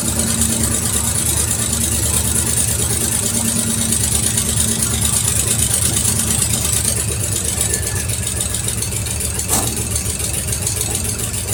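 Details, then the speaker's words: 1973 Mercury Cougar XR7 V8 at its first start since 1985, oil-gas mix put in the cylinders: fairly even idle with a light, quick ticking over the rumble, suspected lifter noise from age; no oil pressure on the gauge, which may not work. "I can hear some lifter noise and stuff, but you know, it's suspected something from an engine like this that is that old."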